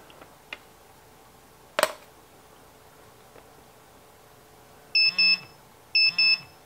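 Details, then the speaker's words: Radiation detector held near a 1950s Rolex watch with radium lume on its hands and index marks, worn for years: scattered clicks, then sharp double alarm chirps, reading higher than the clock. "I wore this on my arm for years. Okay. And look how much more it puts out."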